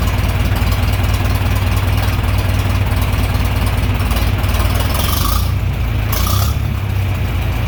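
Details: John Deere 3020 LP, repaired LP system, new head, reassembled, after warm start: deep, steady low rumble, even firing beat, no misses or knocks; clean normal idle.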